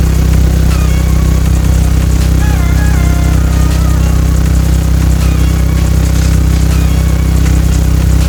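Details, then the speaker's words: Subwoofer box playing a low test tone around 32–35 Hz, where the sub flexes, gives a deep steady bass with a buzzy rattle; suspected vibration where a panel meets the port, to be fixed by adding screws. "so i'm hearing the noise"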